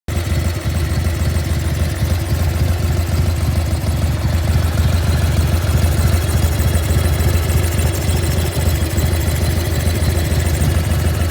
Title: 1995 Harley FXSTSB - Evo Engine makes strange noise